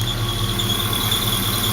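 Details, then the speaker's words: LS-swapped Mazda B2200, engine revved; constant high-pitched squeal holding its pitch from a dry-bearing lower idler pulley next to the alternator; replacing the idler pulley eliminated the noise. "I'm pretty sure that squeaking noise is coming out of the idler totally down low right next to the alternator"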